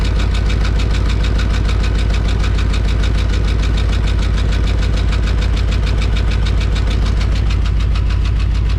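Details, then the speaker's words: 1993 Ford Bronco V8 started after new transmission cooler lines were installed, checking for leaks, with an idle issue still present: fast, even ticking tied to engine speed over a steady idle; lifter tick. "oh you guys can really hear that lifter tickin"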